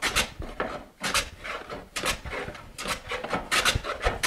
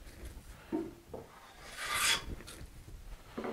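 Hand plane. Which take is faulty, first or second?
first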